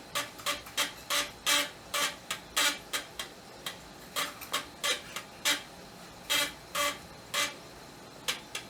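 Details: Amiga 1200 floppy drive, reading a Workbench disk; crisp sharp clicks at an uneven pace, a few per second, as the head steps; drive sounds normal and healthy.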